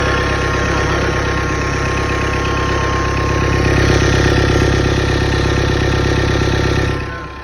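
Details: 2014 Chevrolet Cruze diesel, steady clatter with a faint high whine at idle and when revved: failed turbocharger, with the turbo shaft jammed and not turning by hand.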